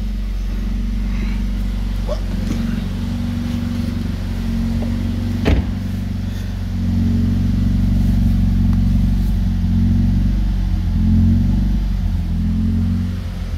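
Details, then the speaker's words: Rebuilt A20NFT engine, under 59,000 km, no check engine light: smooth, even idle hum with light regular injector, high-pressure pump and valve ticking, no knock, misfire or smoke; normal, charcoal canister solenoid clicking also normal. "It's fine, it's not smoking, it doesn't make any weird sound or something or whatever."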